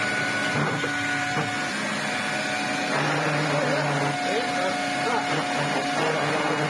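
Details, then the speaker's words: Electrolux Z504 vacuum cleaner running without a filter. A steady motor whir with a wavering rattle from the brush roll; airflow and suction are good. The owner suspects worn brush roll bearings. "That's the brush not making that noise, it's got good airflow, it's got good suction, yeah I think the bearings are a little bit shot on that brush."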